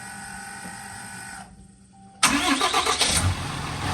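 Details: 2017 Ram 2500 Cummins G56 at 105,000 miles, started after installing an AirDog lift pump fuel system and cycling it to avoid airlock: short crank, diesel catches instantly and settles into a steady, even idle clatter; clean, healthy start.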